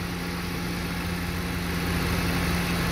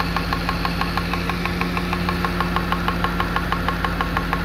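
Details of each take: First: Car with LPG conversion, about 243,000 km, after fixing a too-lean gas mixture, running on petrol: steady, even idle with low constant hum, no misses or hunting, normal idle. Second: Car at 243 mileage with a lean-mixture-on-LPG fault: injectors tick loudly, about three times a second, at idle. One injector is wedged tightly between the engine and the air filter base, drumming with resonance; the car is then switched to gas.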